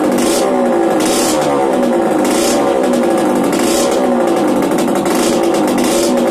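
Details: Yamaha DTR 125 two-stroke, first start after fitting unrestricted Gilera SC CDI, new seals, 240 main jet, powervalve fully open, Big One exhaust; crisp ringing rising and falling in repeated rev blips, sharp clean pickup: normal two-stroke running.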